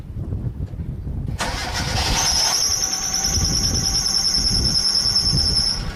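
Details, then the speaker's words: Hyundai (Accent/Getz-type budget model) cold start: engine catches, then a sharp, steady, high-pitched squeal rides over idle for seconds; loose alternator belt slipping, fixed by tightening the adjuster bolt with a 12 mm wrench. "90 процентов из то проблема связаны с ремнем генератора которые нужно просто покинуть"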